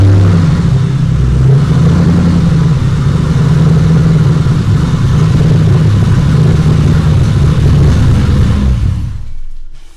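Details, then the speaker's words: 2007 Mustang GT V8 first run after engine install, fresh oil filter and six quarts of oil: deep, even rumble holds steady about nine seconds with no knocks or misses before shutoff; no leaks, sounds healthy. "did it die okay that sounds awesome it does still no leaks"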